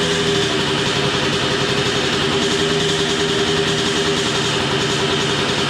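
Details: Suzuki RM125 two-stroke first start after full rebuild, new spark plug, some smoke possibly from assembly oil on the piston: crisp, steady, high-pitched idle holding even with no misses or sag. Engine runs cleanly; normal idle.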